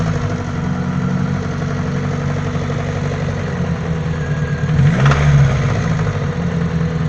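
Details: Daewoo Nexia 8-valve engine knock: quick, steady tapping over the idle that carries through a short rev; internal knock, source not pinned down.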